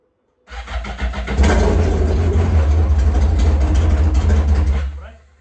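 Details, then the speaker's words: Yamaha GP1200R converted to a GP1800R, first start of the new engine, speedo cluster not fitted: cranks, catches within a second, and runs loud and raw, unmuffled, settling into a strong, steady bark. A healthy start; the fuel line was not installed. "Angry. Angry. Why so angry? All right. That's a start. Sounds awesome."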